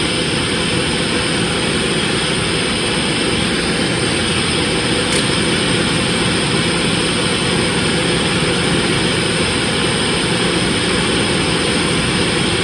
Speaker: let's crank her up now this is a cold start it never did have a tickle to cold start so it may still come but so far so dirty all that noisy here is vacuum lines that are open